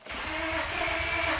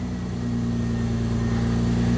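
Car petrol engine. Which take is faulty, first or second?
first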